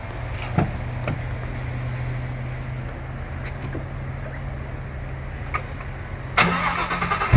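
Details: Shelby GT500 supercharged V8 after timing chain tensioner repair, earlier mistaken for rod knock. Starts and settles into an even, steady idle with only faint injector tick; no knock, engine healthy.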